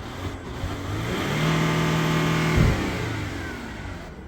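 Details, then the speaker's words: Warm 2011 Ford Territory 2.7L V6 turbo diesel, running after a dead in-tank lift pump was bypassed by bleeding air. A quick rev climbs smoothly and drops back to an even idle without stumbling; sounds healthy, normal revving. "G6 diesels love a big rev."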